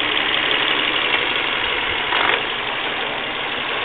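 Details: Volvo V40 1.6, engine warmed up by driving, idling: a busy, uneven clatter over the running engine with a brief rise partway through. Abnormal engine noise when warm, cause unclear.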